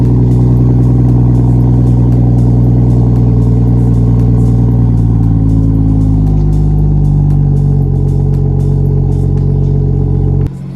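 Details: 2017 BMW 440i xDrive, B58 Gen 1 inline-six, six-speed manual, after PCV diaphragm/valve cover replacement and total body reset, cold start warming: steady even idle, smooth low hum settling lower, no misses or ticking; normal warm idle.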